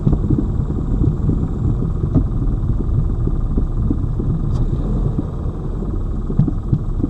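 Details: Lada Vesta Cross over bumps after shock absorber/strut replacement (right SAAZ shock under dealer warranty); recorder placed plus cabin phone; steady road rumble, dull thuds, no sharp front knock; knocks gone after strut replacement.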